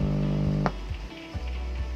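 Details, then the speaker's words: 80-watt power amplifier circuit, just connected to its adapter supply: a steady low mains-type hum from the loudspeaker before any input signal is injected, meaning the amplifier is faulty; to be diagnosed by voltage measurement against the schematic. "Nah, ternyata sebelum diinjeksi input power ampli sudah ada bunyi dengung. Ini sebenarnya berarti power amplinya tidak normal."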